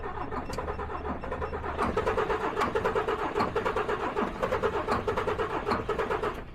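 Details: DAF XF truck with too little fuel rail pressure, cranked with injector number one blanked off to find a stuck or broken injector: starter cranks at a quick, even beat for about five seconds but the diesel never starts.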